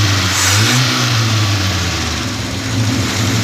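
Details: Austin Devon A40 restomod, idling about five minutes with binding throttle linkage, revs up and settles cleanly with a steady, even note, no knocks or misfires, no real smoke, smells slightly rich; running smoothly.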